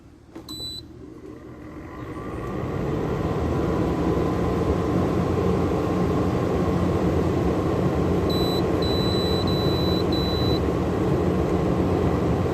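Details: Frigidaire 12,000 BTU R410A window air conditioner with LG rotary compressor and Welling fan motor, after quick cleaning and repair, bearings previously noisy: control beeps, then steady rising rumble and fan whoosh; starts and runs normally.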